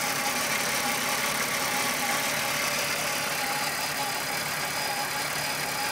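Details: Rattle at idle on a Golf VR6 2.9 with 103,000 km: a constant bright metallic rustle and rubbing. Owner replaced the upper hydraulic tensioner screw for a chain-rubbing noise, which then got louder. Cause unconfirmed.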